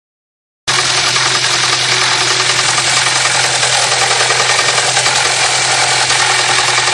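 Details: Honda Prelude petrol engine under throttle, not idling: loud hissy running with a rough knocking rattle about three to four beats a second; no noise at idle, also heard while slowing and braking.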